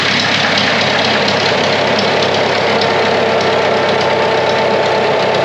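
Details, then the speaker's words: Ditch Witch R40 trencher diesel running after the alternator was rewired with the ammeter reconnected, reading 13.6 V: loud steady diesel with a faint high whine rising after a few seconds; alternator charging normally, with slight whine. "See that? 13.6. I can hear it whining a little bit too. See that? Just a little bit. Now I am satisfied."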